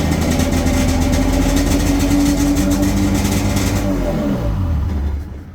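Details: 1996 Sea-Doo Speedster two-stroke engine, first run after MPEM removal and rewiring, testing start and kill-switch shutoff; crisp even buzz holds steady at idle, then winds down and cuts out cleanly.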